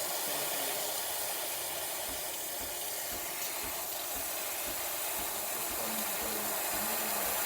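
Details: Breville espresso machine after full service for a buzzing complaint: steady, strong steam wand hiss with faint low pulsing underneath, normal operation.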